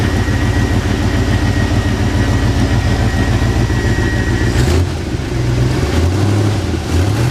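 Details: Squarebody truck that sat in a field about 10 years, running after new fuel pump, fuel lines, spark plugs and plug wires; steady even low rumble with a faint tone above, no knocks or misses; normal idle.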